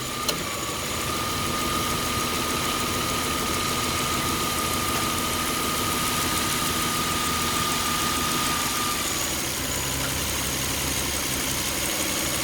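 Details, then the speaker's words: 2003 Toyota Camry V6 idling after alternator belt replacement, AC compressor cycling: thin whine cuts out as the compressor disengages and the idle-up circuit lets RPM drop; healthy. "also notice that they put a idle up circuit in, so when the AC compressor engages, it speeds the RPM up. Because when it shuts it, you'll hear the engine slow down."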